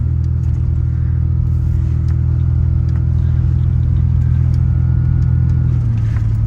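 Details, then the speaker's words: 1988 Ford Ranger after muffler repair (new bolts, cracked pipe at muffler fixed): deep, even exhaust rumble pulling away with no blat or ticking, much quieter, though a leak reportedly remains between catalytic converter and muffler. "Oh yeah, like I said, that sounds so much better."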